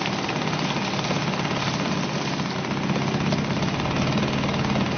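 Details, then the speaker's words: Suzuki DT 2.2 HP two-stroke outboard in test tank, cold start: rapid even buzzing beat holding steady and picking up slightly while on choke; healthy running before choke is turned down. "once it's going, we need to turn down the choke. Hope you can hear me. Just turn down the choke and it should go nicely into tick over."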